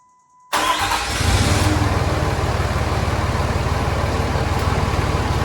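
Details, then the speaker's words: Cummins diesel pickup started after a valve lash adjustment: catches quickly into a steady, even idle, and the earlier valve train ticking has quieted down considerably. "all right well I'm not sure how well the camera picked it up I guess I should have taken a video before time to show the noise but I would definitely say it's quieted down quite a bit"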